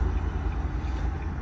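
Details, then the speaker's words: Nissan Leaf under way after its hub nuts were replaced and its outer CV joint splines greased: low, steady road rumble with no clicks or metallic knocks, fixing the earlier clicking on starting and stopping. "те що я вичитав в принципі це просто нова тачка немає ні щелчків взагалі нічого"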